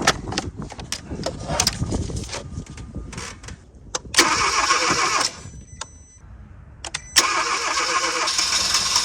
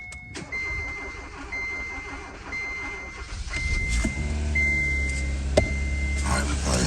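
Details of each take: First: 2015 Kia Forte 1.6L turbo no-start, cranked with the rear fuel line disconnected into a water jug: a short, ragged catch that never settles. It fires only on leftover fuel in the line, with no delivery from the fuel pump. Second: 2015 Kia Forte 1.6L turbo, previously a no-start, after fuel pump replacement and priming: a steady chime beeps about once a second, then a short crank catches and settles into a smooth, even idle with no fuel leaks. Normal start and idle.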